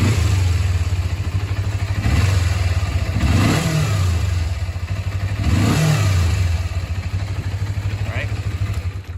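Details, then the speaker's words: 2001 Kawasaki Ninja 250, vacuum petcock removed and carburetor vacuum port plugged: steady low twin-cylinder burble with smooth blips, no hiss or stumble; normal running with no vacuum leak, before port opened to demonstrate bogging. "I'll show you what it runs uh what it sounds like uh the way it's supposed to run. So, no vacuum leak."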